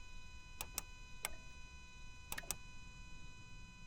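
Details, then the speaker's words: Auction truck after fixing power feed to the starter: key turn gives sharp single starter clicks but no crank; starter suspected bad. "Does nothing, but I hear that starter clicking down there. I think the starter's bad."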